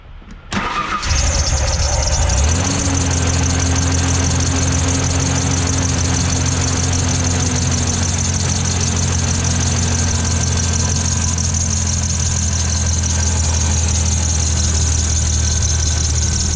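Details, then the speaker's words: 1997 Ford Ranger, new belt and idler pulley already fitted: the engine cranks and idles with a constant high-pitched serpentine belt squeal. The belt wobbles side to side at the tensioner pulley (misalignment); water on the belt stopped it, ruling out bearings. "so that's why I knew it was a holy misalignment or whatever you want to call it"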